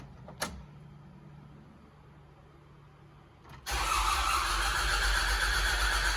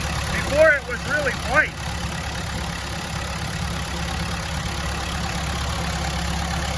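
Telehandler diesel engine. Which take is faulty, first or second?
first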